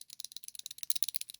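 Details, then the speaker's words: Worn 6204 sprocket ball bearing from a Muravei motor scooter reduction gearbox, washed and spun by hand: dry, gritty crunching rattle with uneven clicks; play in every direction, to be replaced. "Чуєте о хрустить Я його вже вимив вимив але він весь шелистить хрустить не годиться люфт уже є і туди і сюди і вверх-вниз і вліво і вправо"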